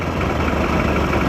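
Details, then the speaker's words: Mid-1990s Mercury 115hp inline-4 two-stroke outboard on Ranger bass boat, loss of power, missing rectifier replaced, 13.1 V at battery: short stretch of low steady idle, even beat, no stumble; normal idle, unclear if fully fixed. "See, it's coming up. So, it's definitely running better."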